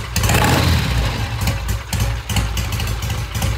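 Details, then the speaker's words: Triumph TR6 single-carb vintage British motorcycle after cleaning clogged pilot jet, started after a dozen kicks: steady, slightly loping low thump from single exhaust, even idle with no misses or knocks; normal idle. "it started up took a dozen or so kicks we uh cleaned the pilot J the pilot jet was all clogged up once we did that we got it started it's idling now sounds"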